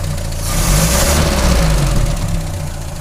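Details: 1939 7C eco four-cylinder at idle with a light, slightly uneven tapping over the running note; valve lifter (poussoir) noise.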